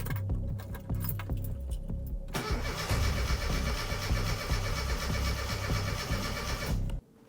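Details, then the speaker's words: 1992 Classic Mini Cooper with 1.3L injection engine, first start after a long time during restoration: the starter cranks steadily for several seconds but the engine never fires. Owner suspects the fuel hadn't reached the engine or there is air in the system. "kind of what I expected, it wasn't going to start. I had a feeling that the fuel hadn't quite reached the engine yet, or maybe there was some air trapped in the system."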